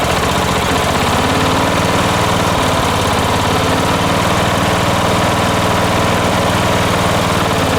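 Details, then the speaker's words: 1980s John Deere RX95 ride-on mower, 36-year-old Kawasaki FV460V single-cylinder engine, after carburetor and starter rebuild: first run chugging at a steady, even beat with no misses or knocks; runs healthy. "all right she sounds good foreign"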